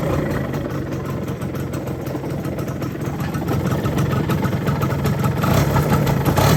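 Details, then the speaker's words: Yamaha F1ZR two-stroke, long unused, idling: heavy gravelly low "grok" rumble, not from the clutch housing as the owner claimed; crankshaft bearing loose in its housing. "Berisik banget suara grok. Ya bukan dari rumah kopling ya guys suara berisiknya."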